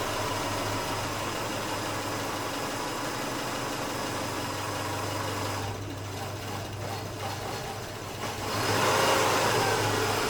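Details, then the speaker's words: 2008 Subaru Outback, EJ25 non-turbo four-cylinder, 5-speed manual, about 96,000 miles: warm idle starts steady, then wavers and stumbles before stalling, only once hot. "basically there's nothing wrong until it gets warm and then the idle starts to deteriorate and then eventually you start to get stumbles and then it'll eventually stall"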